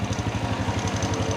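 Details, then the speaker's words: Honda Wave 100 single-cylinder at idle, after valve clearance was adjusted tighter and valve tappet noise was gone: steady idle with fast, even light clatter on each firing pulse from a slightly slack timing (cam) chain. "แต่ตัวนี้คือเสียงโซ่ราวลิ้นนะครับนี่ที่เพื่อนๆได้ยินนี่แหละครับเสียงโซ่ราวลิ้น"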